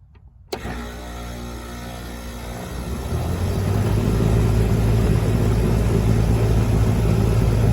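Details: 1996 Heil AG030GB1 2.5-ton condenser with hard start kit, about 55°F ambient: sharp click, then compressor hum swells and settles to steady drone; second start 32 amps after 37 on first, running 9.3 amps; clean start.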